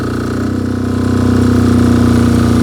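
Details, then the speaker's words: MEP-831A 3 kW military generator, single-cylinder Yanmar L70 296cc diesel, new governor controller, about 2800 W load removed: steady drone settling smoothly with no surging; normal governor idle-down. "you can hear that it just idled right down it did exactly what its job is all right that worked perfect awesome"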